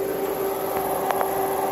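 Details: Inverter on a DIY 7s 18650 power wall (29.4V max, resting about 25.9V) under heavy AC load: a steady mid-pitched hum holds constant with a few faint clicks, the inverter buzzing from low battery voltage under heavy draw.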